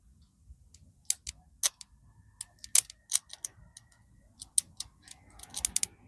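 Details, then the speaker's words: Motorcycle ignition coil bench-tested wired straight to the battery and grounded by hand, old plug cap apparently dead: sharp crisp snaps at irregular intervals as the lead touches ground, each loud and clean; coil throws a strong spark. "it's jumping pretty good there. Let me see if I can get you close enough here. So it looks like our cap was just dead."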